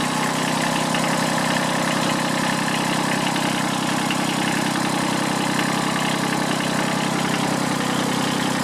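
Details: Kubota B7001 diesel tractor, about 10 °C, just started after two months unused and a hard cold start, in neutral: even steady idle clatter at constant speed, no misses or surges; normal diesel idle.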